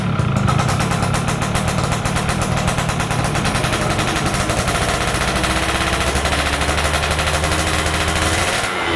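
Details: Yamaha F1ZR stock carburetor two-stroke with a larger pilot jet; crackly buzz picks up sharply off low throttle and RPM climbs fast at initial throttle, showing a rich pilot circuit setting.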